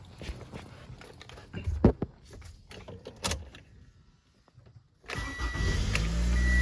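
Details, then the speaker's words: 2014 Toyota Camry, first start after water pump replacement with belt refitted and coolant added: quiet handling noises, then the starter catches and the engine settles into a steady, even idle with no knocks; normal start, no leaks seen. "All right. Okay, the car is running now."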